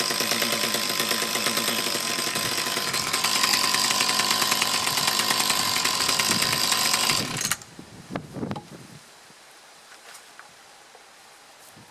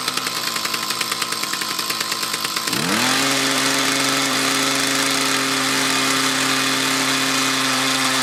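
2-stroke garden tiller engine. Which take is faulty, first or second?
second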